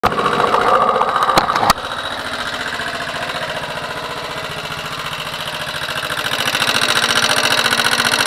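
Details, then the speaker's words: Motorcycle engine at idle, camera moved close to the engine, after valve clearances were adjusted again (intake 0.05 mm, exhaust 0.07 mm). A sharp ticking knock about three or four times a second persists as before; the cause is unknown. "как стучало так и стучит"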